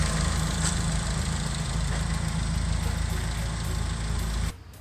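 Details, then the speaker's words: Nissan S14 Silvia with freshly built replacement SR20 (DE+T, N/A block) after swap of blown SR20DET, idling after test drive: steady even idle, smooth rumble, no ticking, then cuts off; things look OK, normal idle. "it's not ticking yeah things look ok"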